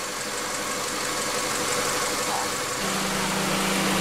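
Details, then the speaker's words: 1997 Honda Accord EX 2.2L after ECT sensor work for P0118, fully warm at about 197–200°F: steady, even warm idle, then the radiator fan hum cuts in as the fan switch works; normal idle with the fan running. "see fans coming on so we know our switch is working"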